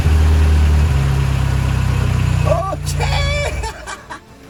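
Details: Peugeot 205 after a self-done engine swap following a camshaft that broke in two: it runs rough and uneven at low speed and won't hold idle, the beat sagging and fading away.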